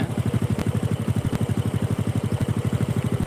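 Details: Honda Supra 125 after an engine rebuild with the connecting rod replaced, which cured its earlier tek-tek knock: a steady, even single-cylinder putter at about three beats a second with no ticking; normal idle.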